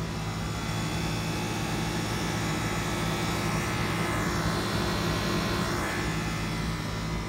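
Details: 2014 Prius with new condenser after body-shop AC recharge, moisture-contaminated refrigerant; after about two ounces of overcharged liquid refrigerant released, compressor hums steadily over the engine without cycling, low side holding 37, high 189: AC now running normally.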